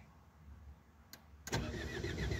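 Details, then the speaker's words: Renault R11 diesel, glow-plug preheat not working: quiet pause, then starter churns in quick uneven pulses while engine turns over without catching; cranks but will not start. "non non non elle veut pas ah c'est c'est dingue s qu' part elle ve pas partir"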